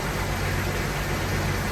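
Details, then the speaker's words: 1999 Jeep Wrangler Sport TJ, automatic, 144,000 miles, after fitting a new 117 A alternator, pulley and serpentine belt: smooth, steady low idle hum with no knocking, rattling or loud dieseling sound; normal idle after repair. "that sounds so much better no loud dieseling sound man that's money well spent"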